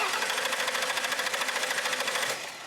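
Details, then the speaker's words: Mercury Sable that won't start: the starter spins the engine in a quick, even churn for a couple of seconds, never fires, then stops; compression present, but the rail gauge shows no fuel pressure, a fuel-delivery problem. "we've got nothing we've got no fuel pressure at all and he cranked it long enough that that pump would have recovered and fuel would have come up to the rail and we should see some pressure here now I think we've got a fuel pressure problem"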